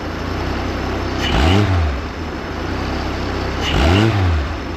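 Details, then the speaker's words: Chevy 250 inline six, idle screw turned clockwise toward about 650 rpm: engine settles into an even idle between two clean revs, no miss; now idling well. "I think that's what we want right there hear that it's coming off better"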